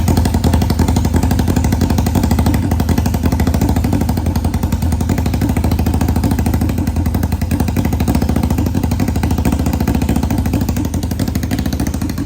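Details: 1991 Kawasaki Ninja 500 twin in mini bike, first start after new gaskets and clutches, rejetted with bigger jets, gravity-fed fuel, open exhaust: loud, steady, even pulses on fast idle, no miss or knock; running cleanly.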